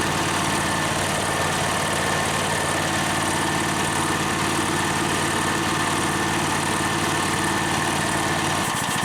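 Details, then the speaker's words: Harbor Freight V-twin air compressor pump, a new replacement for one that seized, engine-driven at decent RPM: steady engine drone with a constant airy hiss as the unloader vents at cut-out; it refilled from under 90 to 125 psi in about 2.5 minutes. Normal cycling. "sound that you hear is the unloader it's venting out all the air it's not filling up the tank I need to drop the pressure so the tank can f"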